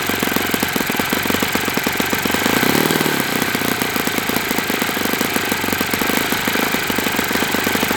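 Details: Enya 46-4C four-stroke model engine on a test stand, 11.5 prop, air bleed opened 1/4 turn: fast, buzzy firing at steady speed with a dry metallic rattle over it; owner suspects it needs new bearings.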